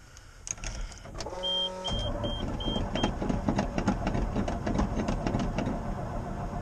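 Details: 1988 GMC 6000 truck, hard start with a booster pack: chimes, then a slow steady crank of about three turns per second that drags on without catching. Long crank, no start, and the owner worries it may be flooded.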